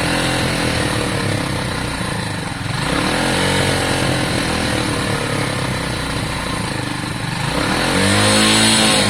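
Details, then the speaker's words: Lexmoto Valiant 125 converted from EFI to carburettor, original main jet and air filter on; revs climb then hang and fall slowly instead of dropping cleanly to idle; revs hang, owner suspects the cheap carb and considers a new one. "So whenever you rev it, it's pretty much it's like almost like this. I don't like the fact that it struggles with the car. Revs hang a little bit, don't they?"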